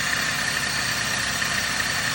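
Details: 2009 Dodge Caliber idling after the A/C compressor was removed: a steady, even hum with no knocks or rattles. The rattle noise is gone.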